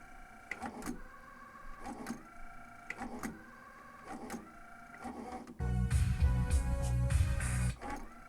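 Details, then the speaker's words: Teac V-770 three-head cassette deck before service, suspected wow and flutter from old belts: crisp mechanical clunks about once a second as the transport changes modes, then short whirring; mode and tape/source switching work fine. "It's going between modes just fine. Tape and source switching is working well."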